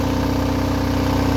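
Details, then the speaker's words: Onan DJB-MS two-cylinder diesel fitted with a 12 kW generator, running with no load during a fuel test, about 17.5 minutes in and 7.5 oz used. It idles steadily with a clean pulse and no knocks; oil pressure is good, though a minor metallic rattle is noted. "Everything running good. Oil pressure still good."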